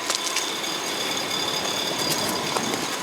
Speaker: As you can hear, it is quiet as can be. There are no lifter noises, there's no valve train noise, there's no high rev knocks.